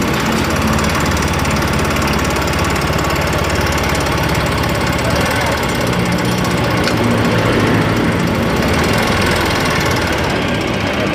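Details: Yamaha Mio Fino 125 FI, rough ticking persisting after various parts replaced: small engine idles with fast rough metallic ticking.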